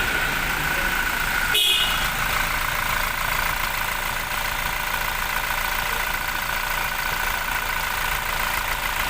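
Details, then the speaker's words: 2017 Toyota Fortuner diesel idling smoothly after the alternator bearings were replaced; the earlier loud whine/helicopter-like noise, mistakable for turbo or internal engine fault, is gone, with no whine, rattle or grinding. "Yun oh Wala ng tunog oh pinalitan lang yung mga bearing Okay na siya"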